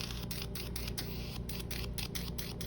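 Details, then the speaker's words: Hydrafacial-type treatment tip in use on skin: steady suction hiss with irregular gurgling pops, the normal sound showing product is flowing out of the tip. "it's a sucky kind of sound, but it's almost like a gurgly sucky. That's the sound that you want to hear. You want to hear that gurgling in the middle of that suction."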